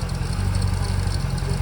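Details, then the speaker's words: 2008 C6 Corvette 430 hp LS3 V8, 35,274 miles, 40 psi oil pressure: deep steady idle, even low rumble, no knocks or ticks; healthy engine in top shape. "It's in top shape with no knocks or ticks or leaks."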